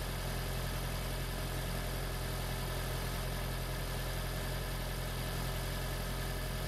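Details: Freshly swapped 2016 4th-gen engine in a 2012 Prius V, just after first start, running in maintenance mode on jack stands before coolant air purge: a quiet, steady low hum with no misses, knocks or ticking; a normal, smooth idle.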